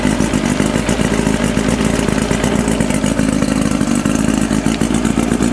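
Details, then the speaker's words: 1992 Mercury Classic 40 HP two-stroke outboard, replacement block, new head, compression 132-135, first start: busy clatter holds roughly level, creeps upward late, struggles to rev; owner suspects carburetor adjustments. "comme on peut voir il y a de la misère un petit peu à monter en régime c'est probablement les ajustements de carburateur"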